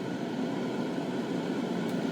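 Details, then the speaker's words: New exhaust fan on a spray booth with filter pad, at full blast: steady, even rushing hum with low drone, pretty quiet, no knocks, rubbing or wobble; running smoothly flat out. "see how loud this new fan is that's full blast that's pretty quiet"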